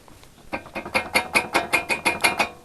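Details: Ford Explorer 4 brake caliper shaken by hand: sharp metallic clatter in quick bursts, about five a second, from the caliper loose on worn guide pins; rattles over bumps while driving but not when braking.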